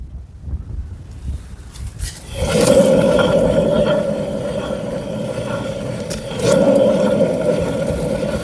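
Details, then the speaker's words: Opel Astra J / Chevrolet Cruze, wheel raised and spun: steady droning hum from worn wheel bearing, clearly distinct from a harmless swishing sound; bearing then replaced. "Шик-шик-шик - это не ерунда, а вот подшипник гудит конкретно."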